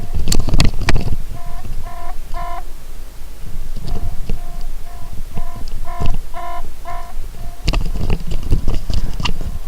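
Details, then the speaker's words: fischertechnik driving robot controller during a diagnostic sonar program run: clear short electronic beeps in groups of three to four over light handling noise; buzzer working. "I clearly hear a buzzer"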